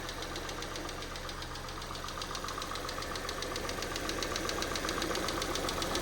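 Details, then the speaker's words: 2012 Citroen C3 White Edition, start-up after cam cover refitted: light, even ticking about two and a half per second over steady idle; top-end valve train tapping, quieter than before. "It's still a little bit tappy, isn't it? But I actually do think that's sounding a lot better."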